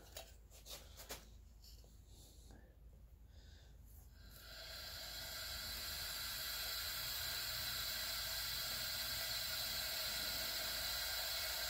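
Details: Honda Prelude H22 2.2L spare engine, cylinder 1 OTC leakdown retest at 60 psi after valve lash adjusted (intake .006, exhaust .008): quiet, then steady rising air hiss holding constant; air still leaking past cylinder, adjustment helps a little.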